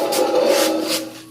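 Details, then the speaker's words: Porsche 928 torque tube from a junkyard 5-speed swap, driveshaft turned by hand: dry scraping rub in slow swells, like something dragging inside the tube; the owner suspects worn torque tube bearings. "So it's making a little bit of noise. The turning it, the drive shaft, I think the torque tube bearings could probably do with replacing."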